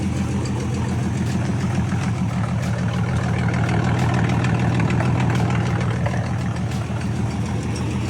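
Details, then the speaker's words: Car that sat almost 20 years, now starting with good oil pressure: steady slightly uneven low idle with faint irregular puffing underneath; leak suspected just under the carburetor, exhaust soot visible there, not confirmed. "It sounds like it's leaking up here just underneath the carburetor. You can kind of see some exhaust soot underneath the carburetor."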